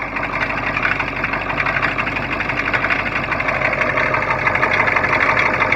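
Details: Cold T444E diesel with Allison 545 transmission in a bus, idling: fairly quick, somewhat uneven tapping about three times a second over the clatter; knock of unknown cause.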